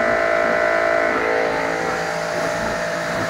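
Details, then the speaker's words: New REAIM pressure washer, first test run after assembly, plugged in and switched on: steady, even motor whine with constant pump tone, described as loud, no surging, knocking or grinding; normal running. "Medyo madilim lang. Malakas siya."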